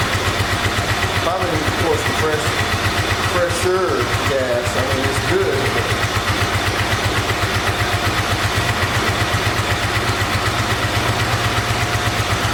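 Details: 1986 Honda VT500 Shadow V-twin, revived after years sitting, idling while warming up: lumpy uneven chuffing idle about four beats a second with missing pulses; rear cylinder not firing, owner suspects ignition coil or mice-eaten coil wire.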